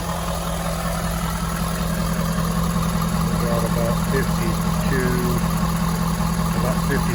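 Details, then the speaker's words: 2015 Ford F350 6.7 Power Stroke diesel after oil pump replacement for no oil pressure, first start: steady idle, even low rumble, light regular clatter, no knocking; sounds healthy. "When I first started, so I guess it's going to be all right. It sounds good."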